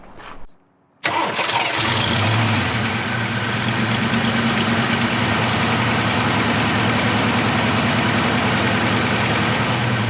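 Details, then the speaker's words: Fox body Mustang, restarted after plugging a vacuum leak, EGR line left unhooked: cranks, catches, settles into an uneven idle with light steady tapping at the back, owner suspects noisy valvetrain; strong fuel smell, cause unconfirmed. "Here's noisy valve train or something like this in the back."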